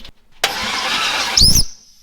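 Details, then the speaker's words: 1975 Chevy Nova cranking with a homemade whistle tool in a spark plug hole: short crank burst, then a sharp high whistle as the piston rises, marking top dead center on that cylinder. "It tells you on top dead center, so if you don't have two people to hold your finger in the hole, put this in it. Whistles when it comes up."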